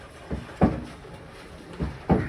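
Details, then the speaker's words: Kenmore Elite front-load washer, model 110.42922200, in diagnostic tumble mode: dull, irregular thumps, about four in two and a half seconds, as the drum tumbles slowly. Worn drum bearings are letting it knock. "is making a knocking noise because the bearings are worn out."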